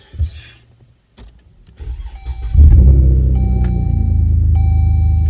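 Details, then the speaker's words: Dodge Journey restarted after sitting about five minutes following an erratic first start: brief crank, catches immediately and settles to a smooth steady idle, normal start; cause of earlier behaviour unknown. "Well, it sounds normal now. I don't know what that was the first time, but right now it sounds normal."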